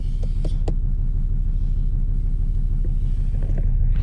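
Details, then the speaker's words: Volvo 2.4 D5 Euro 3 diesel after glow plug change, started at -3 °C: fires on the first crank into a deep, even diesel rumble at a steady idle with no misses or knocks. Normal cold idle. "Does it go on the first crank? There you go, it goes on the first start. There we go. Here we go, it fires up."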